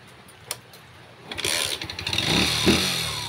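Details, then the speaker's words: Engine reassembled but with its bore problem still unfixed. Cranks, catches and runs rough with a loose clattery knock that grows when revved; piston slap from worn cylinder bore. "Pero masasabi ko sa inyo na may tunog pa rin ito na malala, no? Kasi yung problema ay hindi pa rin nasusolusyonan. Dito may problema sa bore."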